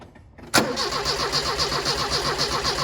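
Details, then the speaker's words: Barn-find Ford Escort RS Turbo Series 2 cranking with an even, quick churning beat but never firing. Fuel is confirmed at the metering unit, and it had fired before the fuel pump was touched. Cause still unknown. "see it is seeping out so that is getting fuel yeah you can see it now touching it by yeah yeah there's plenty of fuel there we're just gonna have to keep looking through"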